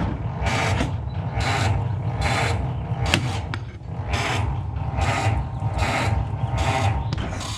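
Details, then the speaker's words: Ford Model T cold start on the electric starter with choke and throttle set: laboured cranking about one and a half slow turns a second, never catching; starter always cranks slowly even with a charged battery. "see the starter it's always even with the charged battery it cranks pretty slow so you want to get as close as you can by hand"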